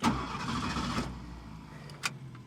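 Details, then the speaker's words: A 1969 Ford Mustang Mach 1 (351 Windsor small-block) with period-correct performance parts just fitted gives a short crank, then catches at once and settles into a steady idle; it starts normally, though a faulty starter solenoid later fails. "Works just fine."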